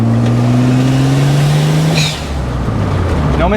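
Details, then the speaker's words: BMW E30 with a swapped-in used N54 turbo engine, on its first drive after fixing a high-boost misfire, pulling up a hill in fourth gear around 35 mph: a steady rising drone with an even beat and no stumble; smooth acceleration, no misfire. "going up a hill it feels smooth it does feel smoother i mean it's not just in my head"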